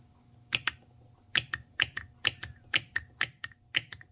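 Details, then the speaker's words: BMW N55 3.0 inline-six VANOS/VVT solenoid bench-tested with 12 V (car misfiring cylinders 6 and 2, running rich, high idle, stalling): crisp metallic clicks, often paired, a couple per second; solenoid plunger works, passes test. "So let's hear some clicking sound. See if we could hear something here. There you go. That's what we want. That one's good."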